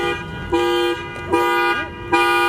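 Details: Nissan S14 drift car after a track day: smoke coming from under the dash, then the horn blasts on its own in three short honks within about three seconds, from a wiring short in the dash harness.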